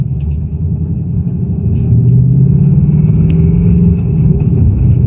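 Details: 2018 Ford Mustang GT Performance Package Level 2 (S550 Coyote) on cold start: heavy idle with a fast, uneven rattle under the rumble, a bit louder as revs rise; owner says it is not the HPFP and suspects piston slap.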